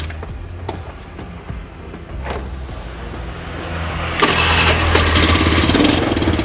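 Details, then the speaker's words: Honda Beat scooter that made a clicking sound when started, tested after the starter repair: short smooth cranking whirr with no clicking, then the engine catches and runs steadily; normal electric start. "sudah mantap lancar jaya ya teman-teman"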